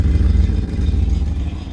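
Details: 1972 Rover P6 3500 V8 automatic, cold: deep, lumpy rumble on a throttle blip with a rough, chuffing exhaust note. Exhaust leaking through a hole in the rear silencer (back box) rather than the tailpipe.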